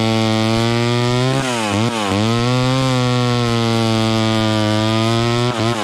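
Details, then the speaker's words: Vintage chainsaw cutting wood after the high-speed mixture was richened slightly: a steady two-stroke scream holds pitch through the cut, dipping briefly and recovering cleanly. It seems about right and runs happier. "there that seems right to me it was it was cutting okay the first time but then i rich ended up just a little more on the high end and it seemed to be a little happier there"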